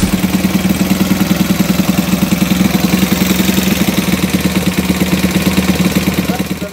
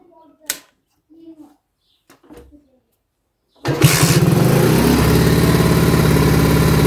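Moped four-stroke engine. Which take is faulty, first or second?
first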